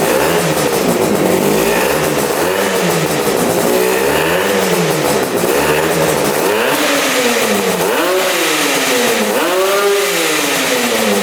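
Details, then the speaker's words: Twin-carb engine restarted after the right-side carburetor seemed not to use fuel: repeated crisp throttle blips rise and fall smoothly with no misses or popping; now running evenly on both carbs. "oh that thing is insane yeah running good running on both carbs that sounds so good"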